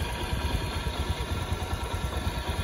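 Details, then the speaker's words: Honda Beat injection, bored up to 130cc, stock exhaust, before CVT service: low, lumpy idle with an uneven throbbing rumble from the CVT, sounding rough and due for cleaning. "ini untuk kondisi suara di videonya jadi ini suaranya Udah mulai kasar"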